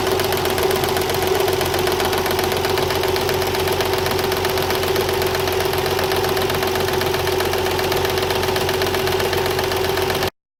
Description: 1993 TT 300ZX that knocks and whines cold. New Water Pump, Belts are tight and there are no leaks. Problem disappears when engine reaches 189 degrees.